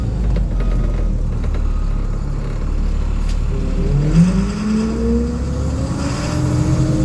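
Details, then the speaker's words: Cold diesel bus on high idle while driving: rough drone with a thin whine rising and sliding in pitch as wheel turns; power steering whining when turning. "Try and listen for that steering, which we'll hear it here when I make a turn."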